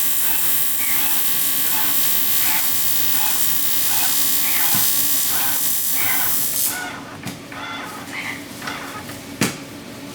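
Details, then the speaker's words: Mini jetboat first start-up prep, fuel pump primed, IBR (reverse gate) actuator run manually through its travel: steady high electric motor whir with even pulsing, no stalls or strain; binding would lock the IBR out and throw a code. IBR actuator runs freely. "sure there's no binding third of The Binding it will lock the IDR out and throw code so that's what we're looking for"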